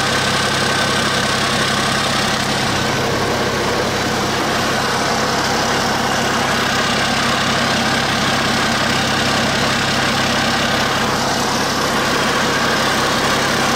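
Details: Cummins 8.3 (505 cid) diesel in a Hyster forklift, just refitted with a larger HX55 turbo (11 cm housing), intake not yet hooked up: steady even idle, smooth low rumble, no knocks or misses; healthy.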